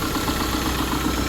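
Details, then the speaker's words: Subaru engine just after an alternator replacement, now charging above its old 13.3 V: a quick light ticking knock over a steady idle from the back of the engine, off-center. Louder at start after sitting overnight; cause unconfirmed. "Yeah, that noise is definitely coming from the back side of this motor. I can hear it back here."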